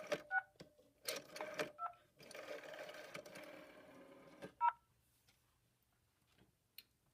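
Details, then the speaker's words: Rotary phone dialing an outside call through a Panasonic PBX: soft dial clicks followed by short, clean two-pitch touch-tones as the PBX automatically converts pulses to tones; normal pulse-to-tone conversion. "because I technically made an outside call the PBX automatically converted the pulses to tones that then came out with this speaker and then this hand side here"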